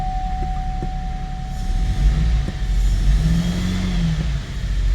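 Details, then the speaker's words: 2015 GMC Acadia 3.6 L after a wiring repair cleared P018C: extended crank and low, uneven running with irregular thumps and wandering speed; check engine light and reduced engine power remain, injector rail pressure and injector circuit codes persist. "So we still got an extended crank, so something is going on here."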